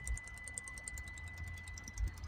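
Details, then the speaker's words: Ford Transit with repeated DPF blockage, ignition off after a new vaporizer was fitted and DPF learned values reset: quick, regular light ticking over a quiet low rumble as the little fuel pump primes the vaporizer normally. "And once you prime up the vaporizer, you should hear that little fuel pump there ticking away."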